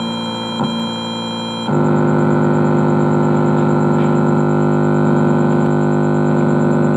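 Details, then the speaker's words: Old Sony compo tape deck with newly installed MP3 Bluetooth module, wiring not yet neatly assembled: loud steady electrical buzz warbling three or four times a second; interference noise from loose, untidy wiring. "masih ada suara noise noise seperti ini karena kita belum rakit dengan rapi"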